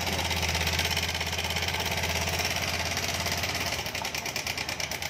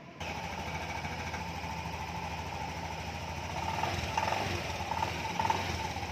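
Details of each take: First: 2020 Honda Beat Street scooter, about six months old, at idle: a fast, busy metallic rattle pulses over the idle from the left side at the cam chain tensioner. The connecting rod was checked and found fine; the worn timing chain tensioner is suspected. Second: Honda Beat Street 2020 scooter, about six months old, after oil change and tensioner replacement: quiet, steady low putter with a slightly rough thud in its beat, nothing clattering or knocking; normal idle.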